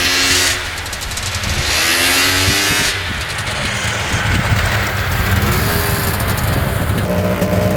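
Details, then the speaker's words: 1998 Polaris XCR 600 three-cylinder two-stroke snowmobile, run hard in snow: revs climb sluggishly and flatten out around 3,000 rpm under held throttle instead of snapping up. The engine is bogging, with no engine light on. "yeah it's definitely boggy this thing should be flying no engine light or anything coming on"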